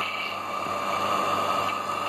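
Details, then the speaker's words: Half-HP peripheral water pump after disassembly and bearing/seal repair, briefly run dry: smooth even hum with steady tone, no grinding or rumble; earlier loud bearing noise gone. "Bueno ahí como ven ya no hace ruido aquel espectacular nada que ver"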